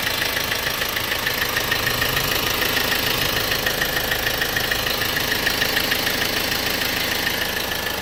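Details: 1.6 CDTi diesel at steady idle with a crisp, even tick about three times a second; the source of the ticking is not identified.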